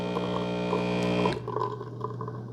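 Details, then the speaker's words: Cuisinart SS-4N1 Barista Bar brewing a Nespresso single shot; after about 15 seconds the pump starts with a steady low buzzing hum, then cuts off cleanly. Normal pump operation. "Okay, so about 15 seconds, you'll hear the pump start up."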